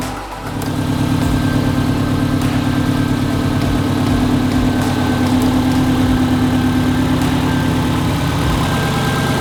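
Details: 2004 Subaru WRX STI with a fresh Type RA EJ short block, on a base tune with unequal-length headers. Warm first-start idle at about 205 degrees with fans on, bleeding coolant. Steady off-beat boxer burble with no knocks or ticks: normal warm idle.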